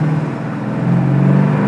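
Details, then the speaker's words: 1972 Plymouth Cuda, 340 V8 with Six-Pack carbs, 727 TorqueFlite automatic and 3-inch MagnaFlow dual exhaust, on a road drive: a deep growl climbing steadily as the Six-Pack kicks in, smooth with no stumble. Normal acceleration. "can feel the that six-pack kick in there trip going"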